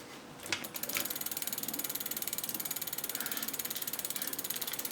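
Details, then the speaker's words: Bicycle front disc brake after the caliper was realigned following wheel removal: fast even freewheel ticking as the wheel spins down, with no rubbing from the rotor; the brake runs free. "so now it's released you can hear no rubbing sound which is great news you have probably aligned your rigs"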